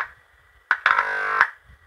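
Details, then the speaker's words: Huper AK15A amplifier with intermittently missing bass, power stage output loaded with a speaker before the relay: touching the input brings a loud, steady buzzing hum for about half a second. The power section passes signal, so it is normal. "teman-teman apabila ini di sentuh dan output power-nya ini di beban Speakernya itu bunyi maka bagian mesin ini normal teman-teman ya bagian mesin ini normal"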